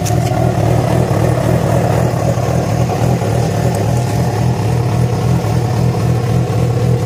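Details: Yamaha FZ6 four-cylinder with a busy idle and an irregular, uneven pulse of roughly two per second over it; began after riding about 70 km on two cylinders due to a failed ignition coil connector; source not pinned down.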